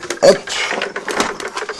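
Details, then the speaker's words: Aquarium filter pump just plugged back in after reassembly, motor running without water before pressing the priming valve: uneven rattling and ratchety clicking, no smooth water hum, pump running dry. "Voilà, donc là, je sais pas si vous l'entendez, mais je pense que oui. Il tourne sans eau."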